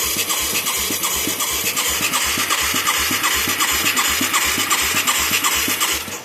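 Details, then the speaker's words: Mid-1980s Yamaha YFM200 Moto 4 ATV with a newly fitted carburetor and a new spark plug, on the electric starter: steady chug at about two and a half turns a second, no firing or pops. It has good suction and plenty of fuel. Cranks but won't start; spark is not yet rechecked. "I can't believe we ain't hearing something. It's got good suction and there's a shit ton of gas."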